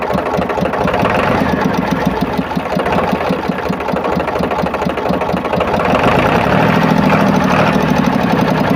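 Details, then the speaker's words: Powertrac tractor diesel idling after water pump repair; steady clatter with even firing beat, no whine or rattle from the pump area; water pump noise heard before is now gone. "और इसमें इसके जो water pump से sound आ रहा था, तो अभी किसी प्रकार का इसमें नॉइस या साउंड भी नहीं आ रहा है।"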